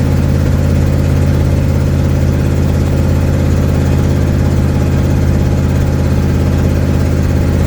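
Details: 1972 Ford Mustang driving home, phone in the dash, before repair: steady low rumble with an uneven chuffing beat at constant cruise, exhaust puffing from an exhaust leak.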